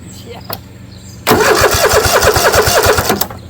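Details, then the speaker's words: Kohler 7000 series engine on a Troy-Bilt zero-turn mower, just fitted with a new carburetor and fuel shutoff valve left closed: starter spins steadily at about five compression pulses a second for two seconds with no firing; fuel-starved crank, no start. "because the carburetor is not full of fuel it's going to have to crank for a little bit first oh wait the shutoff valves on oh yeah we forgot put a shutoff valve in here forgot to turn gas on"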